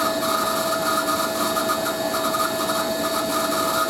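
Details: Hoover A3060 Electronic 1100 washing machine on Programme D Fast Coloureds 60°C, spin phase: steady high-pitched screech riding over the drum rush, holding pitch throughout; worn, dry motor bearings.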